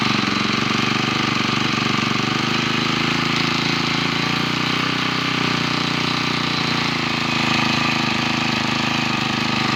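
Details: 8-year-old four-stroke brush cutter that wouldn't start, after new carburetor and cleaned ignition coil: steady even buzz with regular unbroken firing rhythm, running normally.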